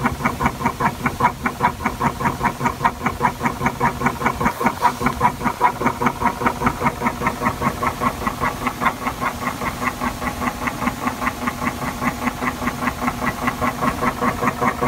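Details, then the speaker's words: 1984 Acoustic Research (AR) turntable running with the belt fitted: a steady, even tick about two and a half times a second over the motor hum, a definite click coming from the Hurst drive motor. "this is a 1984 hey our turntable sound isn't so noticeable right now but there's a definite click in the motor so here it is with the belt"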